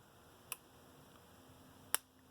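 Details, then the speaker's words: Cyclops Brute electric fence charger in for repair: two crisp sharp clicks about 1.4 seconds apart over a faint hum, pulsing normally under a 100 to 150 ohm load while still giving almost 8,000 volts. "It's reading, it's still getting almost 8,000 volts out of it with 100 ohm, with 150 ohm load. So these things can take a pretty good load on them and still work."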